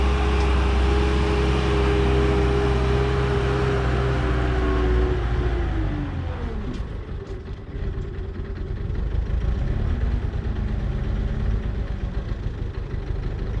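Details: Bobcat 873 skid steer diesel, second try after fitting a new fuel filter: runs steady about five seconds, then revs sag and it dies; runs longer than before but still stalls, fuel tank suspected full of dirt and debris.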